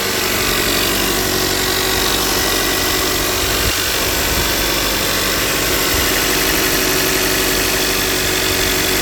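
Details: 2018 Toyota Camry petrol engine just after a cold start: a light, fast ticking over the steady idle hum that goes away as it runs; began around 30k miles and has only gotten worse.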